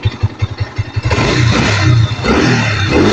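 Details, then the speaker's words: NS150 after an engine overhaul: one kick puts it straight into a steady idle, then it revs up cleanly without stumbling or dying. Before, it would die when revved because the carburetor tune was wrong. A healthy start and revving. "Ayan, oh. Ang ganda ng tunog."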